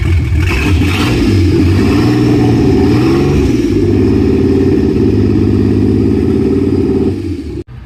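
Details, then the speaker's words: Nissan 300ZX twin-turbo and manual swap running on third start attempt with no exhaust fitted: loud open-pipe revs drop back to an even idle, no ticking or knocking, engine sounds healthy. "yeah well there's no ticking or anything like that like yeah she found sounds freaking pretty good real good real good yeah sounds healthy sounds healthy that's how they all sound without an exhaust"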